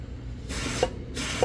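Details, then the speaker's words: Boosted Pontiac 400 turbo wastegate, likely 4 lb spring, tested with compressed air: two short air hiss bursts each ending in a soft click as the valve opens freely; wastegate actuator working normally. "Well, I don't know if you guys can hear that. That's that [ __ ] thing working. Yeah, buddy. And it's working."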